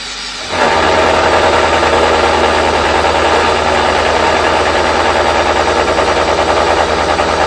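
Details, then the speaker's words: Mill motor labouring at low spindle speed while face-cutting a ring roller part; loud steady cutting roar with low even chug about three times a second, motor bogging under heavy cut, speed then raised. "You can hear the motor bogging down a bit there when it's going slow. Sped it up a bit."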